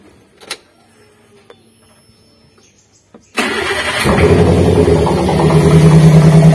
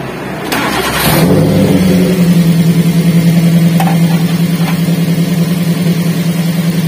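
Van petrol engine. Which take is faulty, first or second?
first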